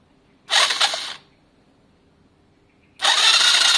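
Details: Lexmoto Valiant motorcycle with a faint or absent spark on the original coil and spark plug and suspected wiring issues: two bursts of fast whirring starter cranking that never catch; cranks but won't start.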